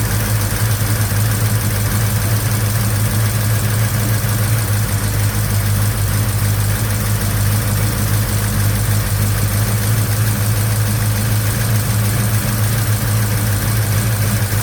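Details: 1956 Chevy Bel Air 307 V8 first runs after restoration, valve cover off, 70 psi oil pressure: choppy idle lope with loud irregular diesel-like valve-train clatter; lifters suspected, possibly a rocker found as the cause.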